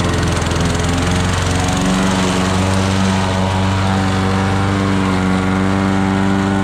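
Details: Old Toro lawnmower that sat for years, pulling through thick grass. A steady, even single-cylinder buzz holds speed without stumbling. The owner suspects a sticking, fuel-dripping float. Normal running under load.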